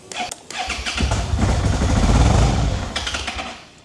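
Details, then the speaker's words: 2011 Suzuki SFV650 Gladius on a jump pack: it turns over fine, then a low rumble swells for a second or two as the engine half-catches and dies. It fires intermittently but won't run. "So, it's kind of trying to fire up. you do get the occasional like it it kicks into life a little bit but generally on the whole it's not running."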